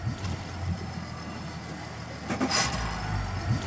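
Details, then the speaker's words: Yamaha outboard with the Helm Master electronic key system, started via the ignition and start/stop buttons: a low rumble, then a short rushing burst as it catches and settles into a steady idle. "press the ignition button for each engine and then press start stop"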